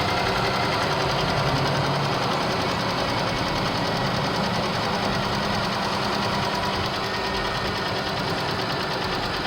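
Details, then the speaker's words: Engine damaged after a wrongful oil change; the oil light is now off. A steady mechanical knock at idle, about three beats a second, indicates internal damage from running short of oil. "well there's no more light but the engine is it's noisy"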